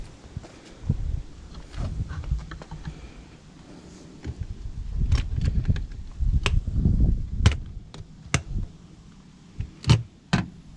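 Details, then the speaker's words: Portable Planar 44D diesel heater in an aluminium box: sharp, uneven ticks from the fuel pump over a low fan rumble as the burner starts to fire, which is normal. "hear the clicking that's the fuel pump which you can see mounted up over there in the corner"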